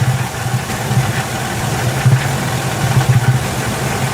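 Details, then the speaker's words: Ford E150 V8 with P0340 cam sensor code, power-braked under load: deep, irregular bass-like chugging as cylinders drop out, a misfire, while the cam sensor waveform stays a perfect square wave. "Real quick, you can hear it. You hear that? It sounds kind of like bass. I believe that's a misfire."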